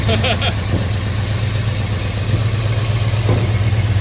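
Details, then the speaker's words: $100 Chevy 350 V8 for 1972 Chevy 4x4 truck, first start after timing doubts: idles unevenly with sharp pops every second or so, backfiring out the carburetor; owner says it's not timed at all and blames the poor carburetor. "It's alive! And it's backfiring. Yeah, it's not timed at all. That carburetor is a piece of crap."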